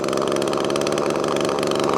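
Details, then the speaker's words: Echo ES2400 leaf blower two-stroke (50:1 mix) with new replacement carburetor, mixture screw turned in to restrict fuel: ragged, buzzy, uneven pulsing running with no clean rev; lean, fuel-starved mixture setting. "I'm going to screw this this one in which will make it run like an absolute Pig and that's restricting fuel"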